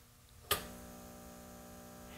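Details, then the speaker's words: 1950s Hart battery charger, restored, charging a 12 V battery on the third (first 12-volt) setting: switch click then steady rich mains growl held constant under load; transformer working normally. "You hear that growling away? Doesn't that sound mean?"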